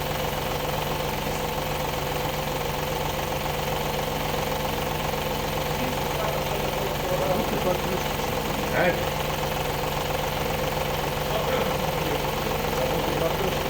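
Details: Audi A8 D2 with the ABZ 4.2 engine at idle, drive belt removed for diagnosis: a light, uneven rattling knock from the front of the engine. The whole front timing cover was loose with a bolt missing from earlier work; refitted with thread sealant.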